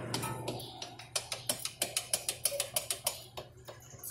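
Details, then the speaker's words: Toyota Corolla front brake pad rattling loose in its caliper, the car knocks over potholes; the pad rocked by hand gives uneven light metallic clicks about three a second, before the fix. "Esse barulho, tac, tac, tac, tac, tac, você passa um buraco."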